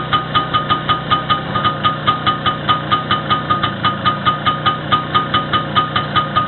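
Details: First start after repair, with the wrist pin bushing and the whole piston group replaced: even, steady pulsing at about two and a half beats a second with a crisp regular tick; runs smoothly.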